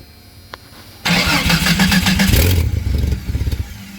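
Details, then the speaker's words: Exhaust pipe nearly broken in half, temporarily wrapped with beer-can metal and a repair strip and clamped, run at idle right after: engine catches and revs, then a loud, raspy idle with puffing pulses, so the exhaust is still leaking. "this was pretty loud and the pipe was almost broken in half I put a beer can that tiger strip and tightening it down"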